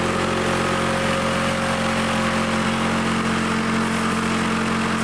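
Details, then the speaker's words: Old Lawn-Boy Loafer front mower two-stroke engine after needle and seat work, mixture screw set about one and a half turns: even steady buzz at constant speed without stumbling or surging; runs cleanly, though kill wire fails to shut it off. "I hook the kill wire back up but it runs we got running didn't need much"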